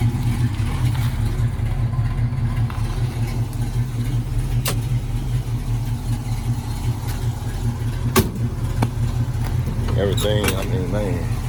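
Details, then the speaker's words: 1968 Ford Mustang coupe, 302 V8 with mild cam, 3-speed manual: steady, lumpy loping idle, deep and even, no knocking or ticking; normal idle. "let me see if i can try to start it up here um let's see this sounds good"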